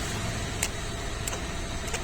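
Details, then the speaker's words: Mahindra XUV500 AC blower motor, removed and spun by hand: short high squeak about every two-thirds of a second, once per turn, like light rubbing; customer hears it intermittently with AC on, louder at high speed. Cause suspected, not confirmed. "ഈ blower കറക്കുമ്പോൾ ഒരു ചെറിയ sound വരുന്നത്, ഒരു kick എന്ന sound. അത് നല്ല സ്പീഡാകുന്ന സമയത്ത് നല്ല സൗണ്ട് ഉണ്ടാവും കേട്ടോ."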